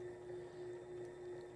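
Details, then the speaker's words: Sailrite sewing machine run on a 400 W modified sine wave inverter: steady mid-pitched motor whine with slight rhythmic surging and hesitation, suspected due to the inverter's low wattage. "and that's probably because of the wattage being a little low. Hear it, Matt? Cycling, it's surging just a little bit."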